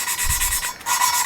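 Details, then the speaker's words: Lapping a valve on a 2JZ-GE VVTi head: a dry, scratchy grit rasp under the valve; the tone changes, then the rough grinding returns when fresh compound gets under the valve. "but you hear how it's changed tone significantly and then it goes back to Grit"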